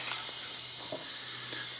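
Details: 469 big block Chevy dragster engine, cold leakdown test, listening at carburetor with throttle cracked: steady airy hiss; air leaking past the intake valve.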